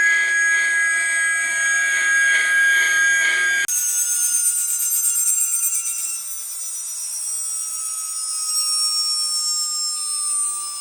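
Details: Atlas launcher gyro rotor on spin test, fed 115 V AC across terminals A and B via a 270 nF capacitor: high, steady whistling tones with a fast pulsing beat, then a clean whine sliding down in pitch; very noisy at full speed.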